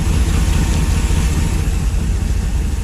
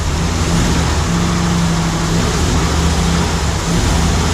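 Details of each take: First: LS3 V8 in a 1955 Chevy Nomad on first start since 2017, idle slightly high: deep even burble with no misses, knocks or ticks, very quiet exhaust; normal smooth idle. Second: Steady loud, unevenly loping idle at first start of a new LS3 V8 in a 1955 Chevrolet Nomad; one or more cylinders not firing, owner suspects something not connected.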